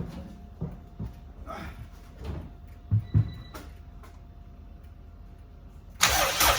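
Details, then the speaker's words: Honda Civic EG turbo build, first start-up on an ECU file from the previous car with the same injectors: uneven sputtering bursts as it cranks and half-catches, never settling; some smoke, no leaks, fueling all out of whack. "oh fuel is all out of whack no leaks all right"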